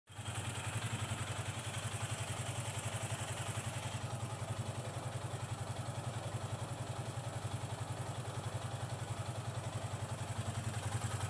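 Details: Yamaha FZ 25 single-cylinder motorcycle idling with a light metallic coin-rattle ticking on each beat; suspected valve clearance, but the ticking persists after a technician adjusted the valves, so the cause is unknown.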